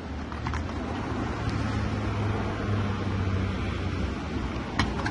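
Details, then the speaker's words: Car idling soon after RVS Master injector cleaner was added to a nearly empty tank: a low, steady hum with no knocks, ticks or misses, described as much quieter and barely audible from beside the car. Normal idle. "Двигатель сразу стал работать тише. Вот я сейчас стою около машины, его практически не слышно."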